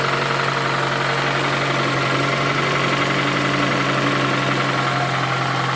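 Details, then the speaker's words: Toyota Camry 2AZ engine, 220,657 km, smoking from under the valve cover: loud, rough idle with an uneven knock over a steady hum; engine knock at idle, origin unknown. "чтобы вы смогли звук слышать работающего мотора и как он орёт он просто рвет это просто ужас"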